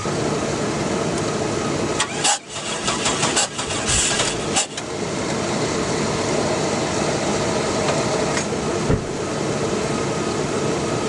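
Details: 2001 Chevy Blazer with a fresh battery, distributor hold-down missing: starter cranks in short, steady bursts but the engine never fires. Owner suspects distributor timing; not confirmed.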